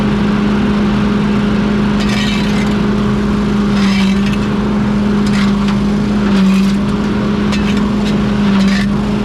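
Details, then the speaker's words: Pink Walker mower leaf loader restarted after being unclogged and reassembled on a cold (~34°F) day: even low hum at one pitch, no grinding or rattling. The fan is spinning freely and the loader runs normally. "let's fire it up and see if it works I can hear it already that it's working you can hear the humming noise"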